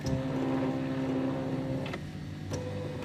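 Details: Silhouette Cameo 3 cutter after disassembly to fix a loading/unloading roller noise; smooth even motor whir with steady tone, no grinding or clicking; roller drive sounds normal after repair.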